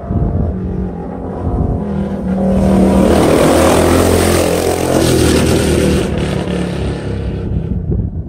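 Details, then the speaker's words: Bike with an aftermarket pipe making high-speed passes by the camera in a canyon. It sweeps past at high revs, then sharp .22-gunshot-like cracks come as the throttle closes. Exhaust backfire on deceleration, which the rider blames on the baffle. "Point being is, I noticed there's something pretty interesting about this video, is when I go flying by the camera, you will notice as I let off the throttle, it sounds like gunshots because of the baffle."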